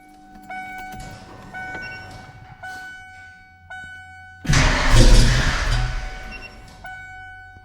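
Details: Ford 5.0 small-block V8 Foxbody Mustang, rebuilt Kenne Bell 2.1L supercharger, 42 lb injectors, bigger MAF, first start, throttle nursed: lumpy, uneven firing stumbling and surging on blips; cylinders 2 and 4 cold, possibly running on six.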